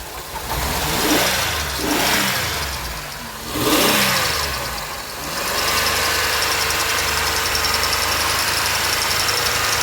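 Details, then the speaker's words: 2007 Pontiac Grand Prix idling after ICM and harness replacement, AC compressor removed: steady, thin squeal at one pitch over the idle; owner suspects the brand-new power steering pump, not confirmed, and the engine otherwise doesn't sound healthy. "now which one of these is squealing like that that's a brand new power steering pump [Music] kind of sounds like it's the power steering pump though"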